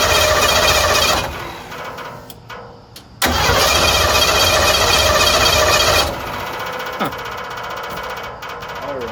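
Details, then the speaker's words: Abandoned decade-old partially converted van on a jump pack, in park. Steady starter whirring with no catch or firing, then another long crank; fuel pump heard running, owner suspects no spark. Cranks but won't start. "Try to crank it one more time and then we'll take the doghouse off and see if it's got spark. I hear the fuel pump running, but maybe it doesn't have spark."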